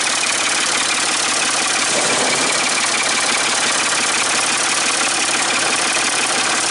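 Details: Ford 550 TLB backhoe, 3-cylinder diesel, running after reassembly and bleeding fuel at injectors, cool day: steady even idle clatter with no misses or knocks; running well, only a small injector return-line drip.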